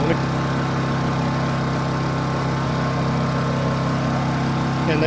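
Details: Honda EU2200i generator with tri-fuel propane conversion, cold start without choke on propane: catches and settles into a steady, even hum, no stumbling or hunting; normal idle.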